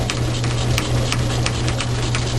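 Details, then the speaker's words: Logan lathe turning a medium-carbon steel railroad spike, after a seized change-gear idler was freed and its half key modified: a steady low hum with only faint light ticks while cutting, no whine or clatter. The gears now run truer and quieter. "All of this is uh much quieter. It's not uh making any noise at all. Look like the gears are running trueer than they were before."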